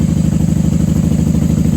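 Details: 1994 Honda Magna 750 VF750C V4 after fuel line repair and airbox reinstall, no fuel leaks: steady, even idle with quick regular throb, no misses or knocks; runs happily, normal idle.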